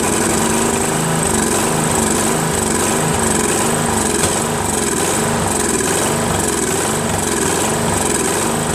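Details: First run of a Craftsman 13.5HP mid-engine riding mower's replacement single-cylinder engine, magneto wired to the ignition switch. It runs rough with a slow uneven surge and irregular backfire pops. Owner suspects a slightly sheared flywheel key throwing the timing off.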